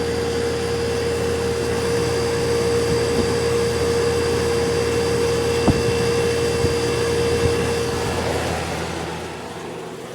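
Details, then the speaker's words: Magic Chef dehumidifier: a steady compressor hum with a clear mid tone abruptly drops out. The compressor runs about two minutes, shuts off for about two, and repeats until the unit is turned off. Short cycling, cause unknown. "right now you can hear run up fine but within a minute or two the compressor will shut off and it'll turn back on"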